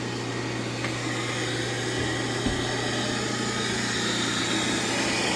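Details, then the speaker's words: Stratasys Fortus 400mc 3D printer at boot: small blower that previously didn't run, drawing outside air up through the heads for cooling, gives a constant low hum with steady airy rush; normal blower operation. "see this didn't run before this little blower here it takes outside air and blows it up through the heads for cooling"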